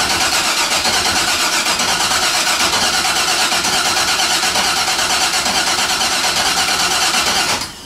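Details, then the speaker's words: Car cranks but won't start: starter churns steadily about three beats a second for seven seconds, never firing; spark plug pulled showed no fuel, injectors not working, cause still being diagnosed. "the car would crank but it wouldn't start so i pulled spark plug there's no fuel so there's no fuel"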